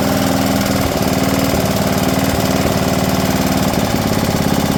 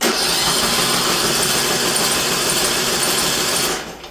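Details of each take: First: Briggs & Stratton PowerBuilt 10.5 HP single-cylinder rear-engine rider mower after carburetor replacement and clearing a flooded cylinder: steady, even thumping beat with no misses or surging; normal running. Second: Briggs & Stratton PowerBuilt 10.5 HP single-cylinder rear-engine rider mower after carburetor replacement, cylinder suspected flooded with gas: spark plug removed, cranking gives fast even starter whir with no compression beats and a wet hiss, clearing the cylinder.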